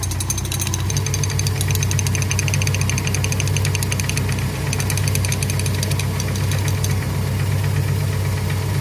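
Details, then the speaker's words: VW Gol, first cold start of the day: fast, uneven metallic chatter around four a second over the idle, traced to a loose wrench left in the engine bay. "isso que eu não tava achando essa chave."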